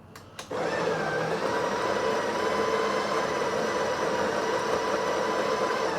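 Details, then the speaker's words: Breville 870XL espresso machine built-in grinder, grind amount set between 7 and 8: a couple of clicks, then steady, even whirring with no rattles or labouring; grinder working properly. "so looks like the grinder is working okay uh the grind amounts are in a correct position usually it's between uh 7 and 8 so that's about right"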